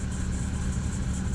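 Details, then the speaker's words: 1995 MerCruiser 4.3L Vortec, Thunderbolt IV ignition, Alpha 1 Gen 2, on garden-hose water supply: a low, even burble at about 900 rpm, normal idle. Temperature reads 168–175, and the alternator is not charging. "rpms that's just she's supposed to be in gear in the water and idle running at 800 to 900 I think something like that"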